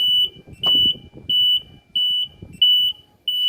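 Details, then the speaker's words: MEBAY engine control module for genset or pump engine, overspeed set at 1500 rpm: loud high-pitched beeps about every two-thirds of a second as the controller trips its overspeed alarm; alarm working. "Alarmnya akan berkedip seperti ini. Overspeed. Nah, berarti ini berfungsi."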